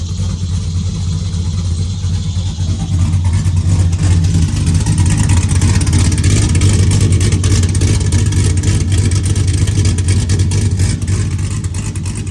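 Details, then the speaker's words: Car back together after the rear cover was refitted with a centering tool runs with a loud, deep open-exhaust rumble that rises with throttle and settles to an even beat; it has no tune, so it only started with some gas pedal. "What it was needed gas. Has no tune, so we had to give it a little bit of gas pedal to get it going. And once you got it going, it would go."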